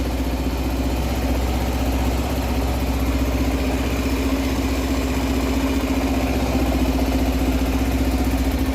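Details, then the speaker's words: 2007-2016 Suzuki Burgman 400 scooter, first start after reinstalling the fuel pump assembly, injector not yet cleaned, engine not warmed up. Even, steady single-cylinder idle, no hunting or surging, described as the best idle it has had. Normal idle. "Actually, that's probably the best idle it's ever had. That sounds really clean."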